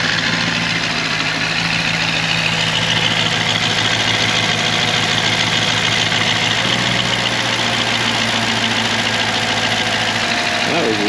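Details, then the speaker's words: Freshly installed V8 started with the MAP sensor left unplugged: steady but uneven, lumpy idle with loose hiss; runs rough. "weird well you guys I forgot to plug the map in let's try that"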